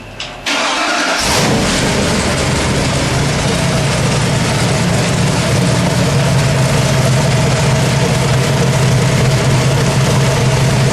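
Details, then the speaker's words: Freshly built 427W Ford V8 (538 hp street crate engine) for an AC Cobra, started on delivery: brief crank, fires right up into a strong, steady idle with an even beat and no tapping; normal start and idle. "The engine ran absolutely perfect. We're going to start it up for you and show you how nice it runs."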